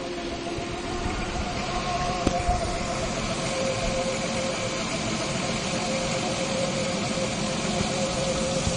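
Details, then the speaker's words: Nissan Skyline with HKS cam belt, after exhaust manifold gasket repair: faint wavering whistle in the upper mids over a steady idle; cam belt resonance despite correct tension, and the earlier manifold ticking is gone. "The noise you can hear is from the cam belt. That cam belt's had a resonance issue for quite some time. It is actually exactly the right tension, it's not too tight. It just seems to make a noise, which is odd."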